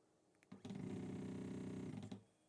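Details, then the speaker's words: Voron 0.2r1-S1 (LDO kit) CoreXY 3D printer during first setup: short buzzy stepper whir with a steady hum as the head moves back to the middle; strange noise of unclear origin, possibly Z axis pushing against its stop. "here it makes this strange when it goes back to the middle it makes a little strange of a noise okay and why should go to there yeah that's right and again where's this noise coming from nobody knows"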